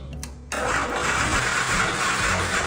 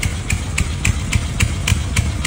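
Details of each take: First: 1987 Chang Jiang 750 sidecar motorcycle, boxer engine, sat unused ten years: several seconds of steady cranking with no firing, music over it; sluggish ignition traced to unevenly worn breaker points, later replaced. No-start from faulty breaker points. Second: 1987 Chang Jiang 750 sidecar motorcycle, 750cc horizontally opposed twin idling evenly at about 3.5 beats a second with a loping hoofbeat rhythm and no extra noise. Just revived after ten years stored and new breaker points; the carburetor still leaks.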